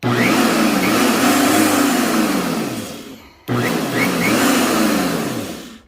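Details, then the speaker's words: Electric lawn mower that wouldn't start, after dirt stuck inside the motor was cleared by rotating the part free: two strong steady whirring runs, spinning up freely and coasting down; motor now runs normally, dirt was the only problem. "so there's no problem with this the only problem is the dirt so that's why it's not running"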